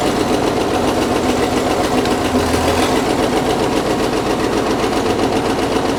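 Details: Caterpillar D6 9U diesel idling steadily with a rapid, regular deep knock. A leaking injector is suspected; the knock was later traced.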